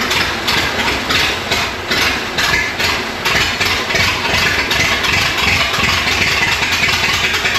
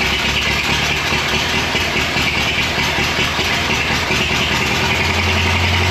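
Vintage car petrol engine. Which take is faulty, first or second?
first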